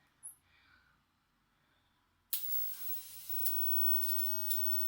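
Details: Crude X-ray setup powered from a CRT TV with a Soviet V1-0.15/55 kenotron rectifier tube: near silence, then a sudden steady fizzing hiss with small crackles as high voltage comes up; cause suspected.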